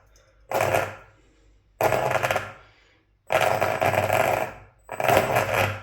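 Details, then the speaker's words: Hobbywing Ezrun Max 8 G2 sensorless ESC and motor in an RC car, re-updated to the newer firmware: four stuttering buzz bursts from standstill, cogging on slow starts. This confirms the new firmware causes it, since the older firmware works better. "exactly the same right that's confirmed it for me then so then it's a problem with the new firmware version which is coming"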